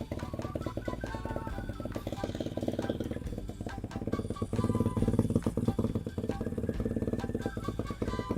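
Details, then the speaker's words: Revived abandoned mini bike, small single-cylinder, first run after teardown and new gas tank: steady even popping about three beats a second, unbroken; runs good; normal running. "or by golly, that son of a gun runs good. or win. That sounds pretty gnarly."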